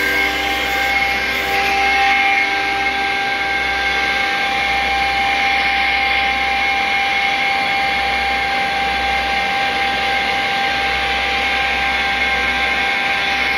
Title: YORK CHILLER YCIV COMPRESSOR ABNORMAL SOUND! SCREW COMPRESSOR! YORK AIR COOLED CHILLER